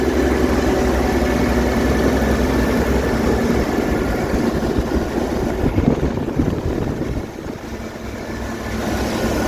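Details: 1967 Chevy van 250 inline six, started after valve cover replacement: low, steady rumble, even throughout with no knocks or rattles; normal idle.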